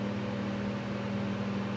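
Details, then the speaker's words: Vintage Mimar model 425 fan, reassembled, rear felts oiled, running on low: steady, even hum with a soft rush of air, no ticks, rattles or wobble; moves a lot of air and not loud. "So there you are. That's how she runs. Pretty nice deal on low. Because it moves a lot of air and it's not that loud."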